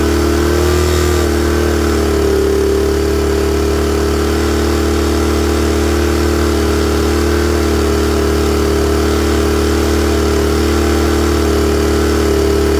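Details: Honda EM-series small generator engine with automatic choke, after confirming fuel flow through the carburetor: runs rich on choke at first, then clears and holds a steady, even hum with no misses or hunting; healthy idle once warm.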